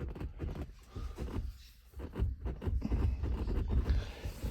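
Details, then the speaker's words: 2026 VW Saveiro Extreme: dull, uneven clunks, about four a second, from the right passenger seatback rocked with excessive play, suspected source of a creak while driving; the driver's seat has no play. "Hoje que eu fui que eu fui perceber que eu acho que é isso aqui, provavelmente aqui, esse banco como tá. Ele tá com uma baita de uma folga aqui, ó, um encosto."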